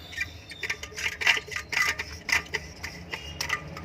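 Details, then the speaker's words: Indo ceiling fan, 230 V 50 Hz, running with uneven dry ticking and rubbing about twice a second over a quiet motor hum; a dry, jammed lower bearing, fixed without changing bearings. "ये देखिए, इसमें थोड़ी सी अजीबोगरीब वॉइस आ रही है, इस तरह से कुछ वॉइस आ रही है इसमें।"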